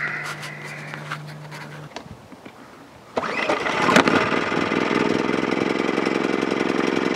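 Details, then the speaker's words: Wen 2350 generator started to power a Dometic 11,000 BTU RV air conditioner fitted with a Micro-Air EasyStart: brief pull, then catches and settles into a steady, even fast buzzing idle; normal start. "And since today is such a sunny day, we will set up the Wen and fire it up and find out whether or not the air conditioner will run with the EasyStart."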